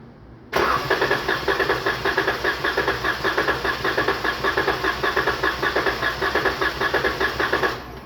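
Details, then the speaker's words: 2019 Dodge Charger 3.6 with a P0302 misfire and power loss: starter cranks about seven seconds with a steady, even chugging during a compression test on cylinder six, reading just over 150 psi, good compression. "ahí llegó lo máximo de compresión y si se fijan bien pasó de 150 pasadito de 150 ahí pasadito de 150 libras"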